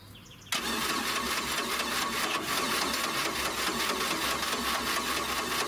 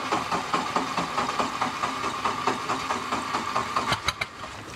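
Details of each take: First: 1986 Four Winns 170 Horizon with 3.0L Mercruiser, first start after winterization, carb pumped, fuel pressure possibly not built up; starter spins in steady even beats over five seconds without catching; extended cranking, slow to start. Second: 1986 Four Winns 170 Horizon 3.0L MerCruiser carbureted engine, first start after winter storage: needed some cranking to fill the carb, then settles to an even, steady idle with soft regular pulses, no knocks or misses; running good, water exiting normally.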